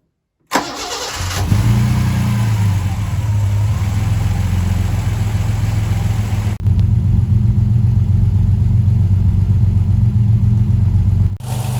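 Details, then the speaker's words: 1984 Ford Capri 2.8 Injection, nearly 40 years old, started to check a cracked viscous fan: engine catches and settles into a smooth, even idle with no tappet ticking; engine healthy. "As you can hear, the engine is running really nicely. No tappity noises there or anything at all. It's a really sweet engine."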